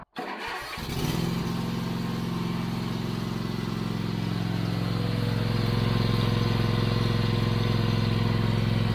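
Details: Toro TimeCutter 5060 zero-turn mower, right after an oil change with oil topped up: fires up straight away and settles into a smooth, even idle with a steady low hum; the engine sounds healthy.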